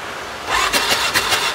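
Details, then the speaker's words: 2018 Odes 1000 X2 LT UTV that died and won't restart, cranking with injectors unplugged: quick starter bursts that never catch; rear plug sparks, front cylinder plug fouled with no spark, crank no start. "so what I could tell right now that front cylinder spark plug is fouled out it's not shooting any Sparks at all"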